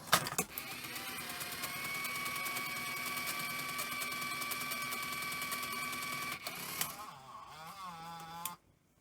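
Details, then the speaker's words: Sony EV-S700 Video8 deck (about 1988) after reassembly, playing a real cassette: fast, high-pitched chatter over whirring, with playback running like fast forward. The capstan spins at full speed with the pinch roller pressed; rewind works. Cause not yet identified. "it sounds terrible um okay yeah so it's actually running really really fast um you know playback it's like fast forward um"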